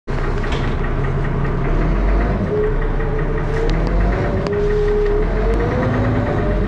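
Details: Dennis Arrow diesel bus, First Manchester 31923 (P423PVW), recorded on a phone in June 2012: heavy thrashy diesel rumble with a rough clattering knock at idle and pulling away; source undetermined.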